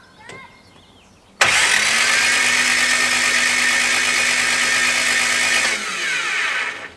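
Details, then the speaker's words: 1969 Lotus Europa S2 barn find, stored 15 years, cranked with spark plugs removed after water came from the exhaust (head gasket suspected): fast, even spin with no compression beats for about four seconds. "let's pull the plugs we'll pull the plugs and then we can crank the engine over again okay"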